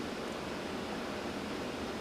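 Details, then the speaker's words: AMD Ryzen Wraith stock CPU cooler fitted on an older AMD2/AMD3 board runs with a soft, steady whoosh, no whine, ticking or rattle, much quieter than the noisy fan it replaced. "And it's much quieter than that noisy fan."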